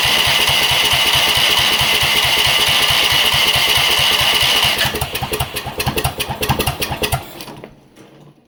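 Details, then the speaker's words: Rock-mower small engine with new carburetor, just primed and started, governor and rev limiter removed: runs loud and rough, beat turns ragged and uneven, then dies; owner suspects the governor-less throttle setup. "I think part of that has to do with my throttle stuff over here cuz it doesn't have so I took the um revlimiter and all that stuff the governor and all that junk out of this this dude a long time ago so it probably has something to do with that"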